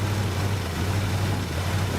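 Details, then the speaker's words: 1967 Buick GS 340 V8 at first start after sitting 15-20 years, new radiator and carburetor: uneven, stumbling rough idle; owner suspects worn-out spark plugs and wires, ignition system needs redoing. "I'm sure that all these spark plugs are garbage and I'm sure that all the wires are garbage too so I mean the ignition system needs redone and I've got something for that too so yeah see she's not happy but"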